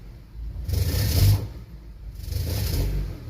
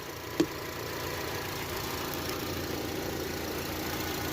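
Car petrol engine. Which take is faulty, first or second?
first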